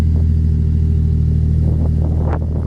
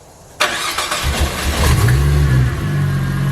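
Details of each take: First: Turbo Falcon six-cylinder idle after replacing the spark plugs and fixing a loose coil pack to cure a misfire: deep, even idle with a steady low rumble and no stumble or skip; it runs smooth now. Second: Ford FG Falcon turbo, just fitted new spark plugs to cure a misfire above 4000 rpm: cranks, catches, settles into a fast cold idle with a tinny metallic buzz on top, the heat shield rattling while warming up.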